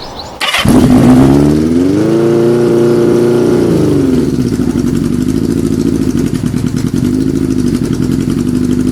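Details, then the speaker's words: Kawasaki Z650B four-cylinder, Plan B uncleaned alternate carbs fitted, stereo mic near bike: fires at once, revs smoothly, settles to steady even idle; now running on all four, number one pipe warming for the first time. "I think he's running on all four cylinders let me check yeah wow I think it's running okay now"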